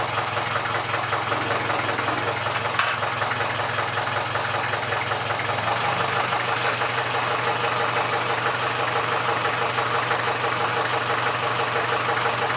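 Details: Old Massey Ferguson 35 (835) tractor with Standard 23C diesel, first run in at least a year: steady, settled tick-over at about three beats a second. It runs well with some blow-by expected for its age.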